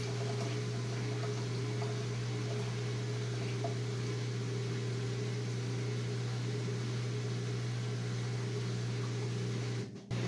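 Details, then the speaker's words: Whirlpool Duet washer, replacement drain pump running again after fixing long-drain errors: steady low motor hum with water rushing from the drain hose, even and unchanging; normal operation. "I can really hear the hose coming, the water coming out of the hose here."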